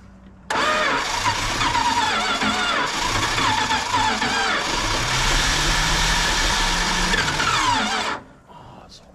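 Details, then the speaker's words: 1968 Dodge Charger 318, sitting in a field since 1984, after fitting a distributor with new points and condenser. Steady cranking that almost catches but doesn't fire yet; it later runs, then floods, and the needle and seat are suspected. "here you go come on baby light off that sounded like it wanted to do something let's put a little bit of timing in it try"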